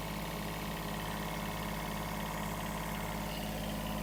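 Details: Kubota B7001 diesel tractor idling after about 10 minutes, after replacing the failed alternator that had caused metallic noise, smoke and belt squeal; steady, even low throb with no knocks or misses, charge light out, temperature fine.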